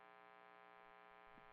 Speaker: now you know how to control your tone by using your volume knob and the tone knob and you can hear the 60 cycle hum